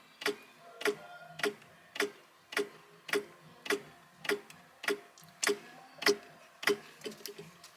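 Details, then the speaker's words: Fairly new electric SU fuel pump, fitted in place of the original mechanical pump, tested with the key on and feeding a bucket: slow, even clicks of about 100 a minute instead of a rapid ticking. The pump is too tight. "They usually go ticka ticka ticka ticka ticka ticka. They don't. That's kind of a slow pace. So I think that's a problem."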